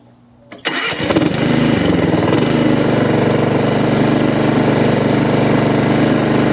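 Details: Honda HRX217 mower, after a repair for oil leaking under the engine: pulls over and catches at once, settling into a steady even rumble with no misses or knocks; runs healthy, ahead of a stress test for leaks.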